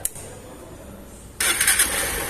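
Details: Honda Titan 160 start motorcycle after a full engine rebuild following damage from missed oil changes: quiet for a moment, then it catches at once and settles into an even, steady idle with no knocks or rattles.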